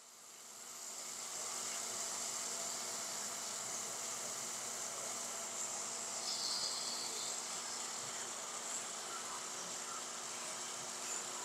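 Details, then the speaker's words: Peripheral water pump on a test bench, valve closed so suction pressure falls below 0.5 bar; steady hissing crackle over electric hum, like stones rattling through the pump, from imploding vapour bubbles: pump cavitation. "something that is quite evident is the sound that the pump begins to make and this sound that the pump has that is similar to the sound as if it had stones is the result of the implosion of these cavities"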